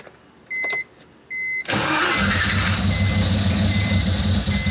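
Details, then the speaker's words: LS-swapped BMW E46, not run in over a year, freshly rewired, injectors double stock size, 80 psi fuel: cranks, catches to a lumpy stumbling idle, then dies; misfiring, smells very rich. "We got all the way to 18 and then died. Yeah, it's probably because it's misfiring like a son of a... It certainly smells very rich."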